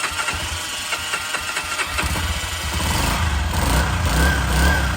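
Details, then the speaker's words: Honda CG 125 barn find, sat 15 years, started after carburetor cleaning, choke on: cranks briefly, catches and settles into a steady, slightly rich single-cylinder idle; normal start and idle. "Well, there's the engine running. Sounds good. It's got the uh choke on."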